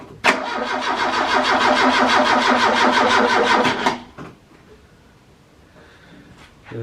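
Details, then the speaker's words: Ford Capri Calypso after 14 years stored, no spark at plugs, coil and old cap swapped: starter turns engine slowly and evenly about four seconds without catching, then dies; slow cranking from weak battery. "battery is dying. Okay. Right. I've still got some fault finding to do then."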